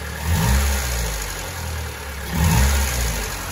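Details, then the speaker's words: Honda Civic EK4 after oil pan and cooling hose work, cold idle after refilling oil: smooth and even with two brief rev blips and no rocker-arm ticking or knocking; the previous rocker noise is gone. "Bonne nouvelle, à froid, on n'a plus le bruit de linguet. Elle fait aucun bruit bizarre, donc ça c'est plutôt une bonne nouvelle."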